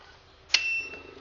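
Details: Top Counter 9600 portable banknote counter with counterfeit detector, on 220 V AC and switched on at the rear switch: one short high beep, then a faint quiet hum. This is a normal start-up self-check, and the LCD shows 0, ready to count.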